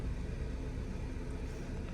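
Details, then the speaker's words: 2016 Nissan Qashqai 1.2 petrol after misfire diagnosis (P0300–P0304) for rough idle, shake and intermittent engine light; codes cleared, none returning: soft even smooth idle, no warnings; normal idle. "I'm going to start the car at the moment I feeling car running smooth no any warning cord"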